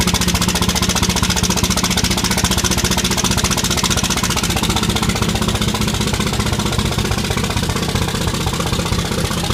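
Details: 5.9 Common Rail diesel at idle, unloaded with nobody in it: loud, uneven clatter and a rough, lumpy beat from six bad injectors.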